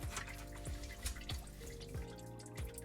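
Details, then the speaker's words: Garbage disposal at the sink connection: steady drips about every two-thirds of a second under the sink; owner suspects leftover water and plans another test run to check for a leak. "Like what? I'm gonna wait till this water stops dripping and then I'm gonna do another test run."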